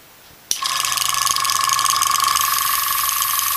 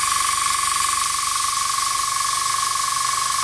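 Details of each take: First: Iwata Sprint Jet (model 800) oilless piston airbrush compressor: starts with a steady high whine and a quick buzzing rattle as the air filter, just dropped into its bracket, sits loose and chatters; harmless, could be firmed up with tape. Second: Iwata Sprint Jet model 800 oilless piston airbrush compressor, hose attached, running: steady airy hiss with thin high whistle as air bleeds off through the bottom of the regulator filter while pressure builds — normal regulator bleed-off.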